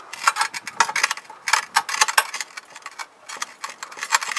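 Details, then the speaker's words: 1992 Toyota 4Runner with 280,000 miles: light metallic clicks and knocks as the worn, loose top brake caliper guide pin is rocked by hand during a pads-only brake job; wheel bearings also show play. "you can hear it move that one's worn out i didn't replace that last time"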